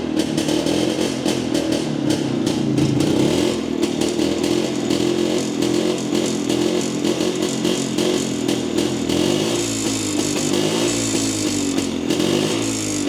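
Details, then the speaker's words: Jawa 250 two-stroke after engine rebuild for smoking: ragged idle that stumbles and hunts as throttle is blipped, hesitating on pickup; uneven running, owner agrees it seems out of tune. "Usampikin kommentoi, että ei kuulosta olevan säädössä ja itsekin oon kyllä samaa mieltä, että se vähän oli semmonen se kaassuk painot ja tolla, niin se ei lähtenyt sille niinun saman tien vaan se vähän niinku epäröi aina"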